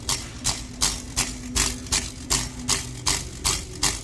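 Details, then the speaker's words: 2020 Ford Explorer ST, customer complaint of underbody rattle at 1500–2500 rpm: quick metallic rattles over low engine hum as the exhaust flex pipe bellows bounce against each other when touched; the TSB clamp does not fix it. "It's the actual flex pipe itself. You can just hear me touching it, it starts to make noise. It's the pipe, the flex, the bellows, the accordion looking deal here bouncing off of each other."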